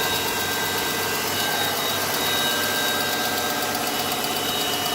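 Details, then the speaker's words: Copart salvage German car, 152,000 miles, just revived after battery fix, at idle: light fast tick about four per second, faint and uneven; owner identifies an exhaust leak. "Let's look up at it. I hear it. Little ticking noise."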